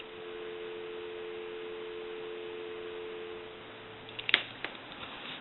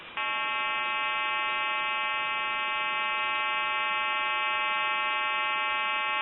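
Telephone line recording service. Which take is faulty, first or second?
second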